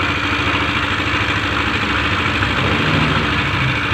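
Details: Yamaha NMAX scooter idling with a rough, jingling rattle over an uneven beat. The noise seems to come from inside the engine, not only the CVT block, and the mechanic suspects the one-way clutch or its seat. Worn CVT parts suspected.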